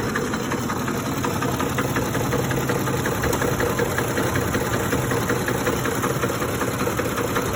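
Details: 2007 Ford F-150 5.4L 3V Triton, 158k miles, warm after about 20 minutes of driving: rpm drops at stops into a lumpy idle with diesel-like rattle, sometimes gone when revved; no check engine light, cause unknown.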